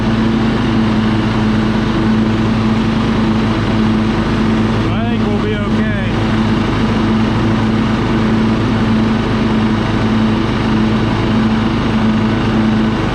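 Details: Husqvarna LT1538 riding mower with a Kohler CV15 engine, which had been quitting and surging, after a carburetor cleaning to remove dirt. Warmed up and idled down, it gives a steady single-cylinder drone with no hunting or surging and runs smoothly.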